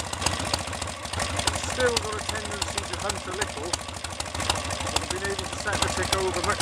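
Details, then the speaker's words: BSA A65 Hornet twin after ignition timing advanced a couple of degrees from strobe mark: slow tickover with soft pulse, much steadier than before but still wanders up and down a little; hunting idle now acceptable. "much slower, and it is much steadier, and dare I say more reliable than it was before. Wanders up and down a little by itself, not as much as it did."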